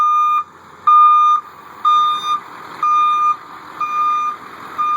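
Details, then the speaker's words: 1989 Chevy Thomas bus with a newly fitted Ecco 575 backup beeper, wired from the reverse light switch and mounted on a frame cross member behind the rear axle; in reverse it gives loud, steady beeps about one per second. Finding: backup alarm working. "Yeah, you can hear it good and loud."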